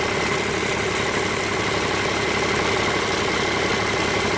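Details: Rebuilt 8.3L Cummins diesel with inline injection pump, for a Hyster 15K forklift, idling on its first start after rebuild and fuel-system bleeding: steady diesel clatter at an even idle, smooth rhythm, no misses or knocks; runs normally.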